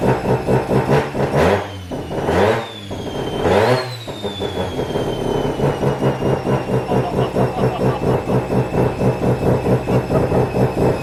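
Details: Mazda FD RX7 RS Series 8 bridgeport rotary with Hypergear T51R single-turbo conversion, first start, untuned, open dump with no muffler: very loud, raw idle, sharp revs settling into rapid, uneven popping chatter; unseated turbo V-band clamp leaking exhaust.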